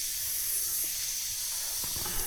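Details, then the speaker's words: DIY rainwater drip irrigation for a greenhouse, pressurized line just punctured for a fitting: steady high hiss of water spraying over faint pump hum; fitting leaking under pressure, cause unknown. "ਪਰ ਇਹ ਅਜੇ ਵੀ ਇਸ ਵਿੱਚੋਂ leak ਨਹੀਂ ਹੋਣਾ ਚਾਹੀਦਾ। ਇਹ ਕੰਮ ਕਰ ਰਿਹਾ ਹੈ। ਮੈਨੂੰ ਨਹੀਂ ਪਤਾ ਕਿ ਇਹ ਇਸ ਵਿੱਚੋਂ ਕਿਉਂ ਲੀਕ ਹੋ ਰਿਹਾ ਹੈ।"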